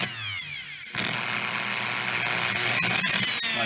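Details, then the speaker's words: Dremel 4000 rotary tool, case opened, running rough and cutting out: high-pitched motor whine stutters and drops out as a brush fails to keep good contact with the commutator; a protrusion on the brush guide stopped the brush moving freely, and the owner suspects a worn brush. "brush just wasn't wasn't really making good contact it was just kind of"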